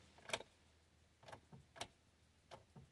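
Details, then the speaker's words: 2002 Buick Century after wheel bearing repair: key turned to start gives only faint irregular clicks and ticks, no crank or start; fuel pump hums and primes in run position; spare key also fails; owner suspects a screw under the dash. "when I put in the run position, I can hear the humming of the fuel pump in the back, so it sounds like it's priming. But when I turn all the way, I don't get any crank."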